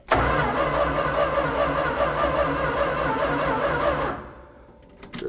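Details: 1965 Dodge A-100 truck, not driven in 22 years, borrowed battery and gas poured down the carburetor: slow, uneven starter churning for about four seconds that never catches, then stops; cranks but won't start.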